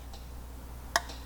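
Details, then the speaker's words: 1961 Ford F100 Unibody straight-six out of the truck, crank turned slowly by hand: one sharp pop in near silence, first suspected from a main bearing, then thought to be number six cylinder, damaged by a screw; popping noise. "I'm gonna start turning or see if we can hear it there was just popped again almost seems like it's coming from right here in the one of these uh main bearings see"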